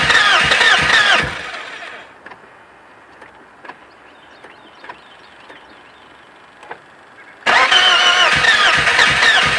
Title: BMW E36 hard start